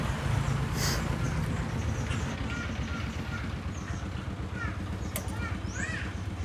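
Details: Honda CBR 150R that died completely, a 5-day-old battery again weak with an internal short, now started and running: even, quick low putter about four beats a second with birds in background; running cleanly and healthy.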